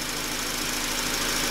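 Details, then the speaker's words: 2004 Honda Accord EX 2.4L four-cylinder, previously overheating to 220–230°F ECT at idle, now fixed; after about 30 minutes running, ECT near 195–203°F: steady airy rush of both cooling fans over quiet idle; normal fan operation. "all right vehicle's been running for about 30 minutes and it is fixed you can hear both fans coming on you can see them right there"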